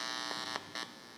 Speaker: Here it sounds a little bit different, but we've extended our reach with the 60 cycle to this entire cable, picking up noise as well.